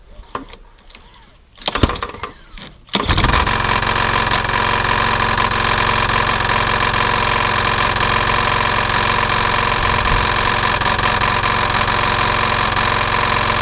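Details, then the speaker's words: Nearly new replacement engine for Hayter 48/56 mower, oil slightly over max: starts after a few pulls, runs fast and even with a knock underneath; suspected internal knock, probably big end bearing. "okay so that's a pity the engine has got a knocking noise to it I'm assuming it's gonna be internal and it's probably that the big end bearing"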